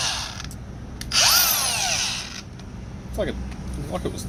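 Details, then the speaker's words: Brand-new Milwaukee M18 CAG125 XPD 125mm angle grinder straight out of the box: it spins up to a sharp whine and coasts down fast, sounding strained and tight, and smells a little electrical; motor fault suspected, cause unclear. "What's it sound like? Oh, I think it's the braking one. No, I think they say braking up there. Doesn't sound right. Doesn't sound very good."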